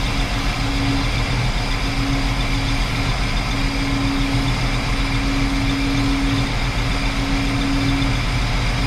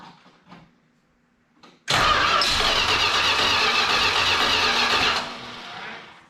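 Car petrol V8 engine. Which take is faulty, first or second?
second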